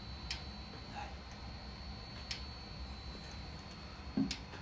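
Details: 2011 Hyundai i10 1.2 with P0011 and P0014 codes, ignition on, engine off during actuator test; crisp single ticks about every two seconds as the oil control (cam timing) valve is commanded; normal clicking.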